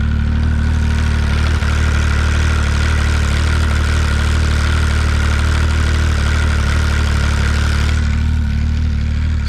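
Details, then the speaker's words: Arctic Cat ZR7000 snowmobile with 1049cc Yamaha engine, original clutch rebuilt after worn arms: loud steady idle with constant metallic ringing; a bit quieter than before but still loud clutch noise at idle. "i've just revealed the clutch so let's hear now how it sounds like it's a bit quieter but it's still loud"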